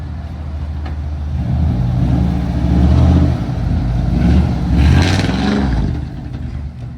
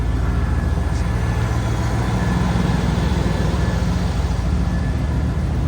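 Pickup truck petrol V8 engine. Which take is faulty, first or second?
first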